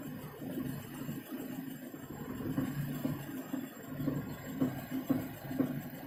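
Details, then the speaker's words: Lada Kalina, 70,000 km, right front wheel raised, 1st gear, steering at full lock, brake gently applied: soft regular knock about twice a second following wheel speed; owner suspects right outer CV joint, boots intact. "и слышим тот же самый характерный звук штук"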